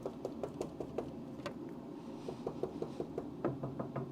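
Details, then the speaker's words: Old Charger crew cab body: string of light hand taps, dull and dead over the rotted lower panel that is all rust, crisper on the sound metal above the blue tape. "None of this is metal. This is all rust. But above it though, see above it is nice."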